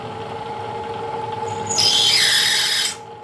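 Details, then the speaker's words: 1940s 14.5-inch South Bend lathe drilling 5/16-inch holes in steel tool holders with Anchorlube: a sharp, piercing squeal for about a second as the bit bites, then stops. Dull bit or work-hardened steel suspected. "So I'm pretty sure this 5/16 drill is toast. I'm sure you heard that squeal. That is either a dull bit or a work hardened piece of material."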